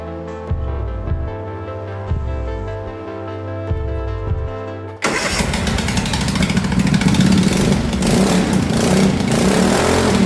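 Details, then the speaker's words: MX-1 racing mower engine after its first valve adjustment, clearances under 0.05 mm, with a new battery: catches almost instantly and settles into a brisk, steady single-cylinder run with no stumbling. "I would say it was a smashing success. It has never started that easy."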